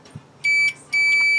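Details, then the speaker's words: Roper (Whirlpool) electric dryer, model RED4340SQ1, that won't turn on: the continuity tester on the door switch gives two clear, steady beeps, showing continuity, so the door switch is good. "if it's good it will beep if it's not good or is broken is not gonna be parole okay"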